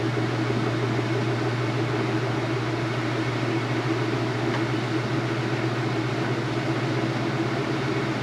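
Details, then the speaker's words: High-efficiency washer spin at speed after the rinse drain, with wattage being measured: even, constant low hum and steady whir, no knocking or rubbing; normal spin. "Just getting up to speed. I'll show you once again the wattage reading once it's up to speed. You can hear the sound of the machine."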